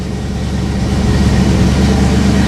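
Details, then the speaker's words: 1989 Ford Mustang LX 5.0 convertible idling right after a fuel filter change (rusty gas from the tank, fuel pressure about 38): steady, even low rumble with no stumble or misfire; sounds healthy and is not dropping gas. "sounding pretty healthy it's not dropping any gas"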